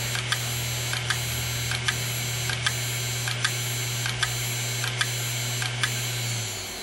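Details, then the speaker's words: Opened hard drive whose head has collapsed onto the platter, leaving a circular scratch: steady spin hum with sharp regular ticks about once a second and a whine, then the drive spins down on errors. Head crash. "see that would be probably what's creating the large whining noise when we try to start this disca"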